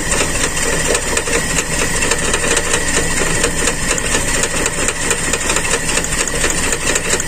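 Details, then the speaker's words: Carburetted Toyota Kijang: rough idle with irregular stumble about twice a second, cylinder number one not combusting fully; cause found to be a torn vacuum hose line at the intake; misfire from vacuum leak. "ini yang tidak terjadi Pembakaran sempurna alhamdulillahirobbilalamin sudah ketemu teman jalur selang Bakung di intake"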